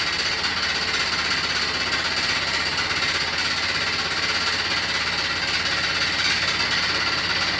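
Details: New Beko WY124PT44MW 12Kg washing machine, light load, spin: hard uneven clattering about three knocks a second; installer left a transport bolt in place and failed to set the foot lock-nuts.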